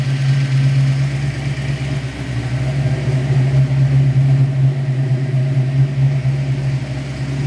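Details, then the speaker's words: Fox-body Mustang V8 on a hot day, restarted with the bung back in and timing brought back up, during an ongoing idle problem: steady, even low V8 drone idling too high at about 1100 rpm. "still idling at 1100 a we'll run through all the idle stuff again"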